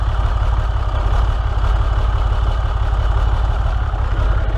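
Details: 6.7 Cummins diesel, claimed bad injector, cause not yet diagnosed: deep diesel idle with a heavy, pulsing lope instead of smooth clatter; rough idle.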